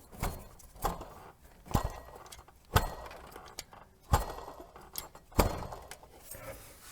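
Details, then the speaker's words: 2018 Renault Duster H4M 1.6 16V, 45,812 km, whistle from about 1700 rpm: water pump pulley spun by hand with belt removed gives gritty, uneven rattling; rough pump bearing with play, 99% sure the noise source, needs replacement. "во-первых мы четко слышим как грубо работает подшипник на помпе То есть я с уверенностью 99 процентов указываю на неё что Точно она шумит"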